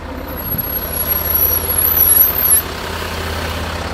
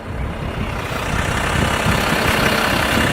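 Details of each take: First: 2014 Range Rover Sport 3.0-litre with Brembo brakes, rolling slowly: high thin wavering squeal like dry metal on metal, fading after a couple of seconds, louder depending on wheel rotation; front brake squeal, cause suspected, not confirmed. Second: 2014 Range Rover Sport 3.0-litre with Brembo brakes, warm, heard from outside while rolling then braking after anti-squeal cleaning and paste: only tyre and road rumble, no squeal or scraping; quiet brakes.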